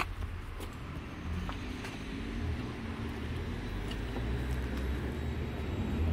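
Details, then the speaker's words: Suzuki GSX-R 1000 after repair of first-cylinder problem: quiet, smooth, even low idle with no cracking or uneven beat; engine now runs healthy. "one like you see it's uh running quietly it's not uh cracking like a V2 like uh like a Harley or something it's uh running like a bike"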